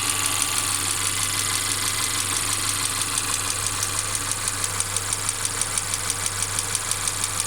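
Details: Mercedes CLA 250 at idle: intermittent regular clacking, about one and a half per second, over a steady low hum; car also stutters when accelerating after long slow driving; cause inside engine unknown.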